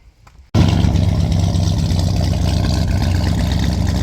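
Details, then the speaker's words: Torino after vacuum leak repair: quick crank, then a strong, even run with no vacuum hiss audible anymore. "I just love the way that sounds. Well, I don't hear the hissing anymore."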